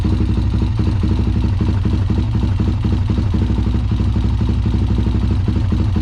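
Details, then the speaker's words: Honda 400ex ATV that sat for years, after initial work: single-cylinder idle at about four beats a second with uneven stumbles; a steady miss remains though better than before, cause unknown. "got a bit of a Miss in there doesn't it definitely better than what it [Music] was certainly hear that Miss though"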